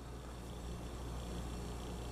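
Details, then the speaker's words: Salvaged sealed fridge compressor after oil drain, flush and refill, run on a vacuum gauge set: quiet, even low hum with no knocking, pulling to full vacuum rather than the 20–25 a faulty unit makes, so valves and mechanism are judged good. "If it's faulty, usually it might make 20, 25, but when they pull all the way down like that, I have good confidence that there's nothing wrong with the valves or the mechanism."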